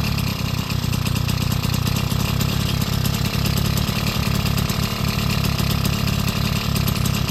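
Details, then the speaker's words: BT80 engine kit on a motorized bicycle, first run after final assembly and wiring: steady, buzzy two-stroke beat with an even rapid pulse, no misses or knocks; running clean, normal. "Time to hear it run for the first time."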